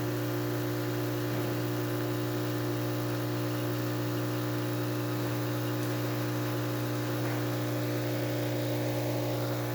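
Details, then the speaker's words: Isomac E-61 espresso machine after full service (descale, backflush, new group gaskets and shower screen), slow test shot: steady low mains-rate pump buzz, unchanging, no rattles or surging; normal pump operation. "We're just making sure water runs through the front. We'll make sure we could make coffee, of course."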